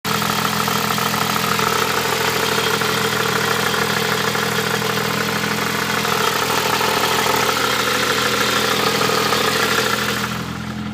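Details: Nissan Pulsar GTi-R turbo petrol engine idling with a busy, clattery top-end noise from the head and a loose tick about three times a second. Cause unknown.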